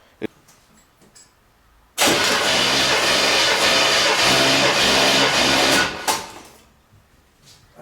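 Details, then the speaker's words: 1977 Corvette, unstarted for over 6 years, cranked about five times with throttle wide open during a compression test. Strong, even cranking without firing; cylinder reads about 165 psi. Normal cranking. "then we'll uh crank it over about five times we'll see what we'll see what we have"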